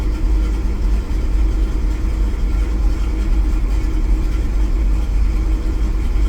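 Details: V8 truck from a cold start with a newly replaced distributor, no catalytic converter and a new knock sensor, knock count 27: deep, uneven, loping idle with slight stumbles and shaking; misfire and idle hunt, cause not found.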